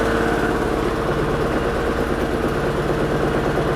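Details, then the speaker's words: Daewoo Lanos on gas/petrol, after owners replaced the ignition wires: lumpy, shaking idle with uneven chuffs about three a second, visibly shaking door mirror; misfire from high-voltage leads installed in the wrong order, two cylinders without spark; starts after leads corrected. "видно по дверці по дзеркалу видно як підкобашує так підковбашує підковбашує але машина завелася"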